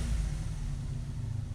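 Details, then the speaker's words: 1985 Honda VF700F V4 motorcycle, first start after carb rebuild and new pulse generators, engine hot, idle screw being adjusted: short even rumble returns quickly to a steady idle without hunting; mixture not thought lean, normal idle. "good idle comes right back down so I don't think it's lean"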